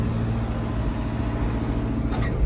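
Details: 1963 International Loadstar truck, freshly started. Steady low idle burble with an even, unbroken rhythm, no tapping or missing; smooth-running V8, no lifter tick.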